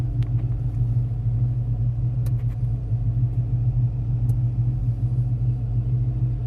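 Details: 1985 Ford Mustang GT V8, about 96,136 miles, brakes and master cylinder recently renewed: deep, steady, even V8 rumble with no knocks or rattles; healthy, well-maintained engine running normally.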